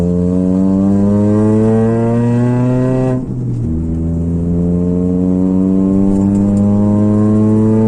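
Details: Engine exhaust in a DIY exhaust leak welding job: revs up, dips, then climbs again with a smooth, even exhaust note and no puffing or ticking leak; normal exhaust note.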